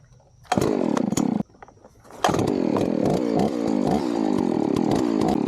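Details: Chainsaw fired up cold before felling a tree: a quick pull catches on the second try, then a crisp high buzz revs cleanly and holds steady. Healthy, normal-running saw.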